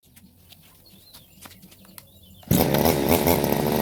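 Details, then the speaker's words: Two-stroke brush cutter, unused for months, starting after its clogged carburetor was cleaned and the spark plug checked and refitted; it catches, puffs black smoke and settles into a steady buzzing run; starts and runs fine. "วันนี้ลองสตาร์ทแล้วครับติดแล้วพี่น้องควันดำปืๆเลยบานี้นะครับเยี่ยม"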